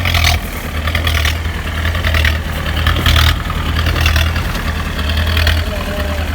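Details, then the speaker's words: 1986 Mahindra 500D jeep with International direct-injection diesel, cold started after 18 years on direct-fed diesel: loud, raw idle with a harsh, blatty unmuffled exhaust note; silencer broken. "ഒന്നരക്കാ silencer പൊട്ടുണ്ട്. അപ്പോൾ നല്ല sound വ്യത്യാസമുണ്ട്."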